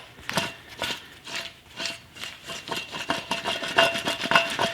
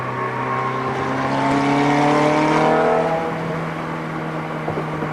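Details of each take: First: Worn rear wheel bearing from a Ferrari F430, removed and turned by hand: rough, gritty rasping in uneven bursts about twice a second; bearing badly worn, debris coming out, being replaced. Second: Ferrari F430 road test after replacing a rear wheel bearing that was bad enough to feel in the steering wheel. Smooth engine note with no hum, growl or rumble from the wheels; the new bearing is quiet.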